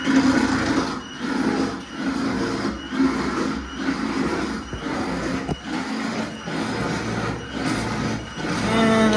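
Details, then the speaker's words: Repaired fuel pump run on its low side with the key: rough mechanical buzzing with a harsh throb about once a second, sounds terrible; owner suspects the loose motor outer shell on the shaft, not confirmed. "sounds terrible. That did not sound good at all."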